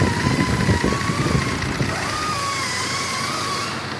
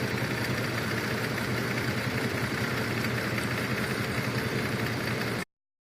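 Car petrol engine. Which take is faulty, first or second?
second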